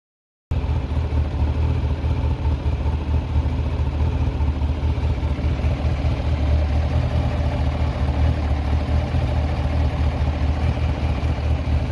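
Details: Kawasaki ZZR1100 after overhaul, worn camshaft mounting bolt threads in the cylinder head repaired with Helicoil inserts to cure a rattle: motorcycle idles with a deep, steady, even exhaust beat, no rattle or ticking.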